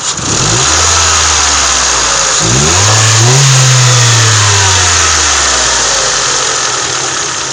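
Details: Engine revved from idle and back down on MOTUL 5W30 after an oil change: smooth and even with no top-end tapping; the earlier valve knock is gone.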